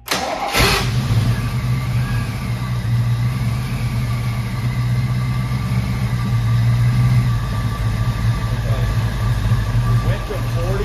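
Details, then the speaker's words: 1986 Mustang GT 5.0 stock longblock, T-5, 80mm mass air, 24lb injectors, A3M EEC conversion, 65mm throttle body, fuel pressure gauge on test port: cranks, catches and settles into a steady but high idle because the idle adjustment was being changed. "Oh, one other thing too, I need to, it's idling kind of high because I've been messing with the idle."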